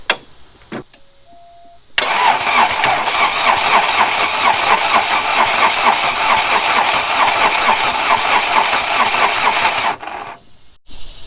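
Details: 1989 VW Jetta diesel 5-speed, about 118,000 miles, parked 14 years; fuel shutoff solenoid has 12 V, warm-up lever pulled, not yet bled; starter spins steadily about two beats a second for eight seconds without firing; cranks but no start.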